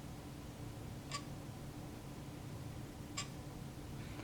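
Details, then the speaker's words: Canon EF 100mm f/2.8L Macro IS USM lens, shutter half-pressed: two short sharp clicks about two seconds apart over a faint whir as image stabilization engages and disengages; normal for this lens. "so as you can see when I first pressed the shutter button that made the noise it stayed engaged in worring just barely um for a second or two and then it uh made that noise again when the is turned off"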